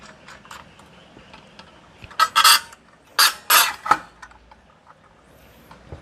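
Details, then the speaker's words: Ryu RCS 185-2 circular saw, switched off: a few harsh scraping bursts as the blade guard swings back, with the return spring catching at the back of the guard; the guard snags on return. "guide-nya ini sepertinya tersangkut ya, dan tidak bagus ternyata teman-teman dari Ryu-nya. Mungkin ya kalian bisa dengar sendiri ya seperti apa bunyinya"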